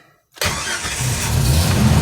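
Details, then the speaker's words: Jeep 4.0 engine first start after a full rebuild, manual in neutral with clutch in: short crank, fires immediately to about 2200 rpm then settles near 1800, smooth even rumble with no tapping; good oil pressure, clean healthy start. "fire right up about 2200 rpms there"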